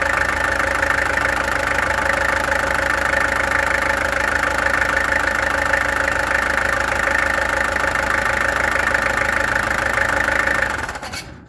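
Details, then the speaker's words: Peugeot XD2 diesel after injectors removed, tested and adjusted: even, steady clatter at idle around 220 beats a minute with no misses or knocks; sounds better, performance not yet known. "That sounds better. It klink beter. Dit nie, dit trek nie, maar klink beter. Doesn't know how the performance is, but it sounds better."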